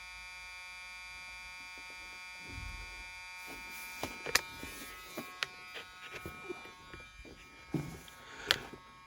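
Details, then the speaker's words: 1978 Mercury Marquis Brougham parts car rear power window, previously repaired with a plastic run; steady motor buzz with scattered clicks and knocks but no strain of lifting glass as the regulator arm runs full travel out of its track. "see the arms up here can hear it going full travel it's come right out of that"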